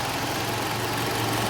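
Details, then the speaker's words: 2012 Toyota Camry idling steady and smooth after repair of a misfire where cylinders three and four weren't working; no misses or stumbles, engine healthy. "अलहम दू लीला गाड़ी अभी star खड़ी है अब आप देख सकते हैं कि इतने स्मूद खड़ी हुई है गाड़ी की"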